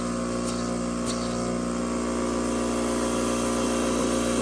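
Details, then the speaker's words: Fluoromizer model 3500 refrigerant recovery machine working again. Steady, even vibrating hum with constant pitch, drawing 4.5 A against a 5.6 A rating, building good pressure and suction with no knocks or rattles. "hey it works sounds healthy only 4 and 1/2 amps you can hear it vibrating away pumping like a little dog"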